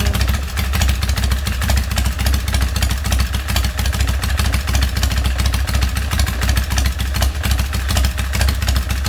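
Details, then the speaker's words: Harley big twin Springer bobber with hand shifter/clutch and fuel pump, rear exhaust fitted with small baffles because it was too loud before; deep, even potato-potato idle held steady, no misses or knocks; normal idle. "Have very small baffles in the exhaust. You know, they're not all that restrictive, but it was just too loud before, so I did put a little bit of baffling in the rear part of the exhaust."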